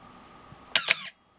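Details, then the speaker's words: Canon AE-1 Program 35mm film SLR with FD 50mm f/1.8 lens, shutter fired at 1/1000: sharp double click followed by a brief high squeaky drag, the "Canon cough" or shutter squeal. "okay and what we heard there is what i tend to call the cannon cough or the or what some people call a squeal in the shutter"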